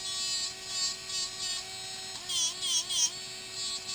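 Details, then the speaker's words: Traxxas 2085 steering servo on a new-out-of-box X-Maxx: thin, high buzzing hum that wavers as the steering linkage is loaded, with vibration and no steering. An internal fault is suspected, possibly a broken or missing gear. "you really heard it vibrate in the front of the truck so that's what you're here and kind of without the front end of the truck on"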